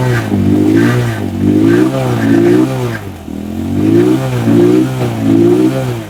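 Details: Rusi Macho 175 after the water in the tank and carburettor was cleared: engine blipped about once a second, revs rising and falling cleanly with no stumble or popping; it pulls smoothly and runs healthy.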